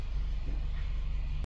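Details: Nissan Tiida four-cylinder rental car after P0300 misfire repair (had power loss, backfiring): low steady idle with even pulses, no skips or stumbles, misfire count across four cylinders shows stability; running smooth and calm.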